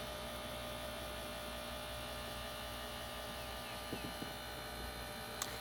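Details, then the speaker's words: 1995 Ford Mustang GT convertible top hydraulic pump after refilling fluid: steady, even electric motor hum, slightly slow, no grinding and former horrible noise gone as the top cycles down and up; normal pump operation. "goes a little slow but everything is nice and smooth uh and it's not making that horrible noise anymore and all right so I think we fixed it"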